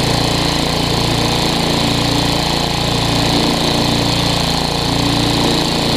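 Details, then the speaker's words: Tecumseh vertical-shaft engine on a weed trimmer after carburetor replacement: slight surge unloaded, but with the trimmer engaged under load the throttle smooths out to a steady, even beat; normal running under load. "whenever i engage it you see how the throttle smooths out"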